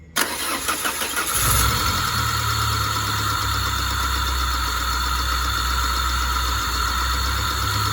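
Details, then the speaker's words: Peugeot 406 hard-starting with compression leak, restart after oil change to Total, oil found nearly empty (about 1–1.5 L left), temperature normal: engine settles into idle with light uneven ticking at first, possibly from lack of oil. "Mungkin berisik karena tidak ada minyak. Terdengar suara di awal."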